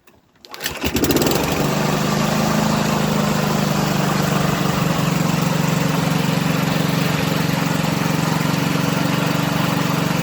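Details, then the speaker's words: Champion SV150 lawnmower after engine overhaul and re-welding a loose rattling plate inside the exhaust: pulls over, catches, settles into a steady even single-cylinder drone with no rattle. "so that sounds a lot smoother now when it's running"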